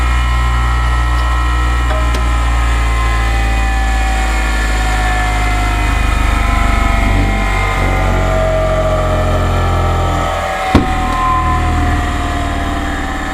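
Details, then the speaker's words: New bench grinder with no bearing play, unclamped on the bench, just plugged in: smooth, steady motor hum with constant pitch, no rattle or rumble, not walking on the bench. Normal running, healthy bearings. "so how about that i just love the way it sounds"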